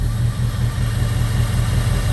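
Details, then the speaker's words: 2002 Jeep Grand Cherokee 4.7 HO V8 idling with coil 5 unplugged on purpose while coil 3 is already dead: uneven, lumpy idle with regular stumble in the exhaust beat, noticeable RPM loss; misfire from unplugged ignition coils. "here she noticeably loses some RPM. Plug it back in, instantly runs better."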